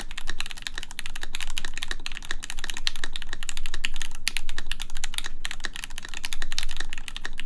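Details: 4398 full-size keyboard with aluminum plate, lubed Gateron X switches and an ABS spacebar without its screw: fast, even key clicks, soft, muted and a little loose with no rattle; sounds nicer and quieter than with the screw.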